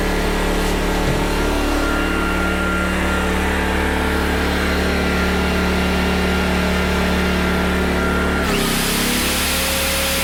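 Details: PowerTrain 900 W generator after new fuel lines and carb work, pull-started without choke (choke was reversed); steady even drone, no misfire or knock, then settles to a new steady tone; water came out the muffler: normal running.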